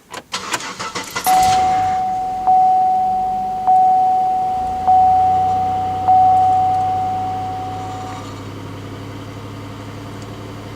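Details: Cold start around 14°F with a GM 3.8-litre 3800 Series V6: brief cranking catches quickly and settles into a smooth even idle, no knocks or misses; healthy cold start.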